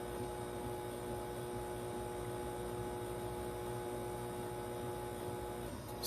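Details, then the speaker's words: 12 V 1200 W Magnum MagnaSine inverter charger on four 3.5 V 75 Ah lithium iron phosphate cells, load-tested running a washing machine near its 1.2 kW maximum: steady mains-type hum with clear tones as the washer spins; loud inverter hum under load. "owatts and Max sorry the 1.2 kilowatt and he maxed out the uh the the inverter what was still going that's kind of cool"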